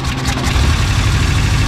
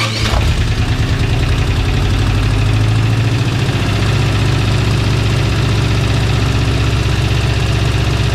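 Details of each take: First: An old petrol engine idles low and uneven with a stumbling beat from a missing cylinder; it briefly quits firing, and a vacuum leak is found where a plug is supposed to be fitted. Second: Old petrol engine fires up and settles into a mostly smooth, steady idle with a deep even rumble and one little kick; earlier missing, a vacuum leak from a missing plug was found, and water may be seeping from a hose.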